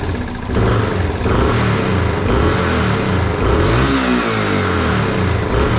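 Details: 1987 Yamaha TW200 single-cylinder after no-start repair (new petcock, float valve checked), started without choke: catches quickly, revs smoothly, returns to steady idle, no fuel leak, normal start and rev; idle slightly rough, may need mixture adjustment.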